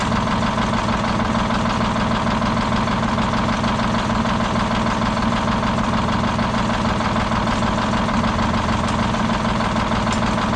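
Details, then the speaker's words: Old Detroit Diesel 6-71 two-stroke, last run before removal: heavy idle with an uneven lope, a stumble about twice a second; one cylinder not firing, seemingly worsening as it runs. "mmm it's almost like that it's getting worse as time goes on"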